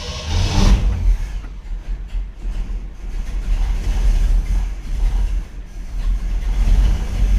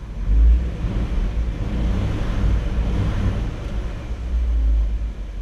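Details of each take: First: 1959 Chevrolet Bel Air 348 V8 with a Rochester 4-Jet carburetor, cranked hot without choke right after the air bleeds were sprayed with Gumout: a deep uneven rumble labouring to catch, the engine flooded and hard to start. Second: 1959 Chevy Bel Air 348 V8 idling after a hot start following 20 minutes off, after cleaning Rochester 4-Jet carb air bleeds that caused rough idle and flooding; low rumbling idle holds steady without hunting, normal.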